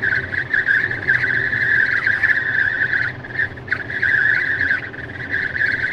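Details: Tesla at 64–65 mph in the cabin: a clear high whistle over road hum that fades and returns, air leaking past the passenger window seal. Intermittent for about 3 months, later fixed by service.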